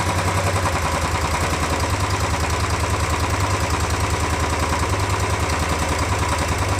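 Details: Royal Enfield 350 BS6 single, fresh oil after complaint of tik-tik tappet noise: even, deep thump at steady idle with no ticking on top; engine sounds healthy. Normal idle.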